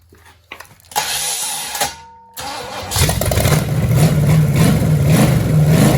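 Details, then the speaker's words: 1966 Chevelle small-block Chevy V8 from a barn find, first firing after flooding and three plug wires on wrong: catches after cranks into a lumpy, stumbling idle, not on all cylinders. Suspected: broken carburetor bolt letting air in, eyeballed timing. "All right, she's running pretty bad. I mean, she fired, but yeah, I don't think she's firing on all cylinders."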